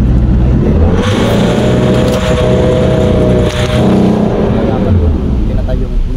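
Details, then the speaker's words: Hyundai Starex D4CB diesel after overhaul, in a diesel runaway: a loud, climbing roar that won't settle until the ignition is turned off. Cause is the number four injector, which leaks and spurts fuel from its tip even unpowered. "Bale ayan kahit wala pang kuryente yung injector eh nagpupugsit na ng crudo. Lalo na pag nalagyan na ng kuryente. Ayun tuloy-tuloy yung kanyang paglabas na crudo sa kanyang injector tip or injector nzle."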